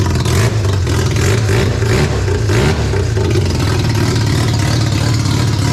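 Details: Barn-find Mazda RX7 12A rotary on first startup after years sitting, carb flooding suspected from needles and seats: loud buzzy note rising and falling smoothly on throttle, no misfire or clatter; normal free revving.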